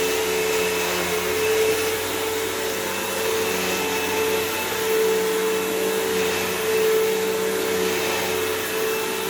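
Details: Dirt Devil Swivel Glide MVP upright vacuum with a fairly full bag, on a belt/brushroll change job: steady motor roar with constant whine, no knocking or rubbing, brushroll and belt turning evenly; normal running.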